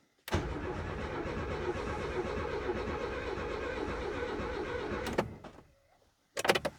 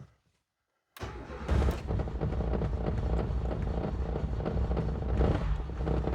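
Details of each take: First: Renault 19 GTS Chamade under restoration, freshly filled with petrol, cranks steadily about five seconds with no firing; fuel pump not heard priming though the gauge needle rises; owner wonders if the pump has seized. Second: Renault 19 GTS Chamade 1.4 Energy, first start after restoration work, out of gear, no coolant in engine: catches after a silent pause and settles into a steady, even run on full choke, revving clean with no smoke, misses or knocks; normal start.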